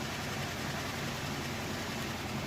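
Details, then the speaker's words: Three-year-old Whirlpool top-load washer with a heavy load, final spin: quiet, steady whooshing hum at constant speed, with no thumping, grinding or squeal; smooth, normal spin. "all right and here we go into that final spin cycle super-quiet they're smooth spinning nice and fast"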